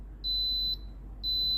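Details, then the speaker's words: Philips GC6720 (GC67xx) steam iron with orange light flashing and constant beeping: two clean high beeps, each about half a second, over a low hum; a descale reminder, not a fault. "ตัวนี้ไม่ใช่อาการเสียของตัวเครื่องนะครับผมตัวนี้เครื่องจะเตือนให้ล้างนะครับผม"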